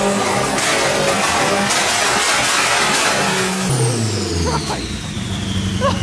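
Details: K20-swapped AWD Acura Integra, fresh build on its first start-up after fuel pump O-rings were replaced. Engine revs up sharply then falls away with crackles and pops on the overrun; sounds healthy.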